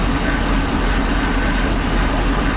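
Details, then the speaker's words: Boat engine after unwinterizing, warming up (not yet above thermostat temperature): steady drone with a thin constant high whine; owner suspects water pump bearings, unconfirmed, hoping it quiets as it warms. "almost sounds like the bearings in the water pump and i sure hope it ain't hopefully it'll smooth out and quiet"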